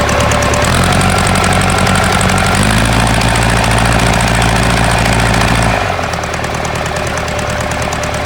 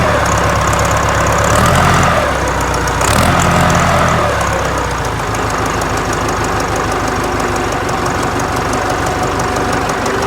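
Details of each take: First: Ford 4040 industrial diesel tractor before injector rebuild: lumpy idle with uneven stumbling knock about three per second, puffing smoke; misfire from faulty injectors, number two streaming fuel instead of atomizing, one or two others also weak. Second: Ford 4040 industrial diesel tractor, cold start after rebuilt injectors installed, valves lashed cold: catches and settles into steady even idle clatter, no misses or knocks, little smoke; running clean and smooth.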